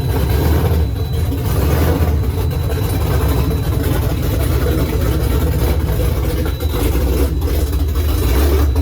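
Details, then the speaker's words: Freshly swapped Gen 3 5.7 Hemi in 1970 Challenger, Holley Terminator X ECU, long-tube headers, dual Flowmaster mufflers, first start: loud lumpy surging V8 idle; owner unsure if rough running (idle screw unadjusted, sensor unplugged) or cam sound. "I don't know if that's because it's running rough, I don't know, or if that's just how the cam sounds, which sounds kind of awesome."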